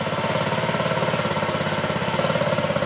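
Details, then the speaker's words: 2009 Honda Metropolitan scooter, fitted with a new carburetor, running after carb cleaner spray: an uneven, lumpy idle pulsing about 3–4 times a second with wavering beats. It is suspected, not confirmed, that the carburetor jets are clogged. "Doesn't sound real consistent. And because it improved with that carb cleaner spray in there, I have a feeling the jets are clogged in there."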